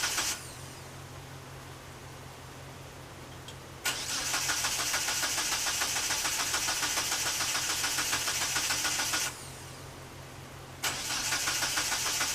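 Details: 1997 Mitsubishi Eclipse GSX on a jump, plug wires swapped, fuel pump running with fuel pressure, sometimes fires: long, even cranking at about three turns a second but never runs; cause suspected, unconfirmed.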